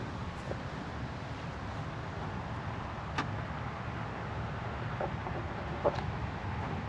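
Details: Indian FTR1200, long-term owned, with aftermarket exhaust and a NOCO battery, started up. It gives an even, steady low rumble with no knocks, misses or rattles and settles into a smooth, healthy idle.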